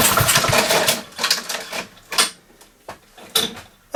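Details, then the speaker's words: Honda mower brought in not running with broken OPC cable: after reinserting the crankcase breather pipe and clearing muck, recoil pulls spin the engine with clean whooshing strokes, strange noise gone; normal pull-over with no popping. "the noise is gone so that's that mystery solved"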